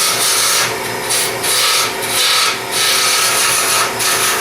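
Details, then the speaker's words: Wood lathe roughing a soft plywood blank into a cylinder with a lesser gouge: scratchy, uneven rasping, no smooth hiss, throwing chips rather than shavings; soft plywood tearing out. "now you can see I'm not getting I'm not getting Shavers I'm getting chips and it hit me in the face but I told this wood is very soft"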